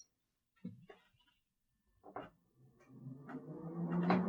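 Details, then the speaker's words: Refurbished Mac Pro 2,1 with Noctua cooling, fans switched from automatic to full speed: faint clicks, then a smooth whoosh builds louder over two seconds with no rattle or grinding; normal fan ramp-up. "you hear the fan ramping up and if you look at the curtain back there it's kind of pushed up against the wall and you can really hear the fans now"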